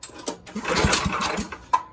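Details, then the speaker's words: Predator 301cc single swapped into a 1989 Yamaha Warrior, choke on, started with no exhaust fitted: raw, sharp cracking bark as it catches and revs, nothing muffling it. "all right let's start it with no exhaust all right choke on fuel on gas whatever"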